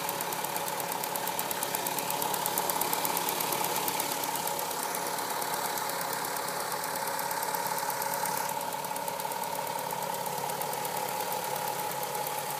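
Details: VW Golf V6 4motion 2.8 engine when hot: a light, fairly regular tapping, roughly three per second, over a busy warm idle with a faint steady whistle; a ticking noise when hot, cause unclear.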